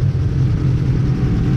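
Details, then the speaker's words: Engine just reassembled after head gasket replacement, not yet warmed up: deep, even rumble with no knocks or misses, quieter than with the old gasket; normal running. "all right well it's all back together uh it's running pretty good but uh it's all wet outside so"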